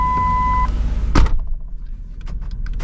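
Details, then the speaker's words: 2003 Ford Explorer power door locks working again after rolling the interior light switch fully down: a chime cuts off, then a sharp clunk as the lock actuators fire with light clicks; door-ajar light had stayed on, likely from a broken ground wire. "And the locks are working again. Check that out. Just very, very strange."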